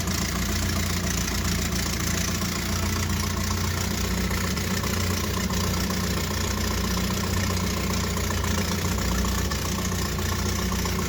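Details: 1978 Triumph Spitfire 1500, jump-started after two weeks of hard starting; after idling a while, a pop on revving, then a steady loud rasping tractor-like drone at idle; it drives normally; owner suspects an exhaust leak, unconfirmed.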